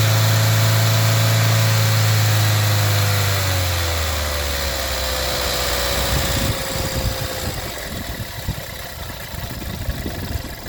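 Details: VW 1.4 TSI CAXA engine: steady light clicking from timing chain rattle throughout, from a broken chain guide and skipped teeth, with an uneven, stumbling rough idle at the end; chain set and oil pump were later replaced, running fine 30,000 km since.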